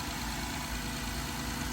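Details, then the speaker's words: 2012 Honda Odyssey after replacing faulty rocker arm oil pressure switch for code P3400 and oil change; steady, smooth idle with even low hum, no ticking or misfire: normal idle. "this vehicle all set we fix the problem we're going to start it up here you go it's brand new again"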